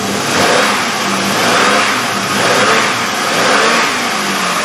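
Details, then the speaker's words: 2003 Chevrolet Impala 3.4L V6, just over 100,000 miles, idling after replacing spark plugs and coil-wire boots (carbon tracking) for P0300 misfire and flashing engine light: steady, soft even hum with no stumble; misfire gone. "certainly sounds like there's not doesn't feel like there is"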